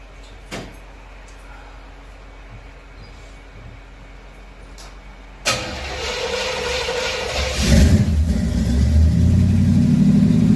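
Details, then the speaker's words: Chevrolet Camaro first start in 15 years after storage, with new carb, fuel pump, plugs, wires, Hooker headers and H-pipe with two Flowmaster mufflers: engine cranks, catches and runs rough with a faint high squeak; a mouse had lived inside; source unclear. "Squeaky. There was a mouse living in one of them."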